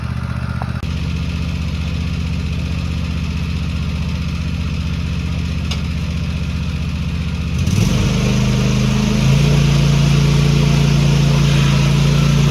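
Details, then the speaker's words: Cub Cadet ZTS2 zero-turn mower, twin cylinder, running and warming up after a coil fix (it used to drop a cylinder after about 5 minutes): even idle that revs up cleanly and holds smooth; both cylinders firing. "Okay, I got the old Scrub Cadet out here running, revving up, getting warm."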